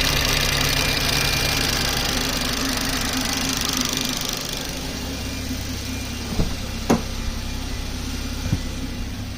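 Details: BMW 340i F30 with the B58 petrol engine at idle: fast, light ticking over a steady hum, plus a few sharper clicks; the ticking goes away as RPMs rise and returns when they drop; the owner asks if it's normal.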